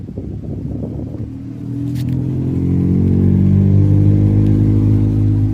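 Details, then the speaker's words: Ford F-150 blower noise complaint: low droning hum rises and steadies as the fan comes up to speed; the blower motor was initially suspected, but a broken blend door piece is catching in the blower. "Okay, pues parece que no no va a ser el blower motor. Miren, se quebró esta pieza de la compuerta."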